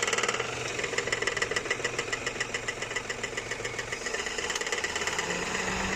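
Uneven rapid tapping, roughly three or four a second, over a light idle; an abnormal knock whose source isn't clear yet.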